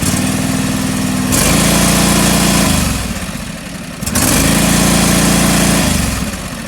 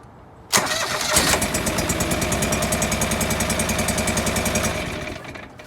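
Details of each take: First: John Deere 445 twin running cold, still warming up, during coil test; uneven lumpy idle dipping and surging; owner suspects the cold engine is getting too much fuel, running rich. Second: John Deere 445 twin, new governor gear fitted, coil pack test with one plug unplugged; cranks, catches and settles into an even beat of about three to four pulses a second, no skips; runs normally on that single cylinder, not missing.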